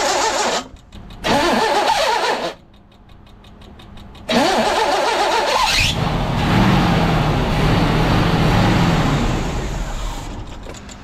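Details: 1982 GMC S-15 pickup after the loose starter, found held by only one bolt, was fixed: two short, clean cranks, then a strong start into a steady run with no grinding or whine. Starter sound fixed, though it possibly still needs a shim.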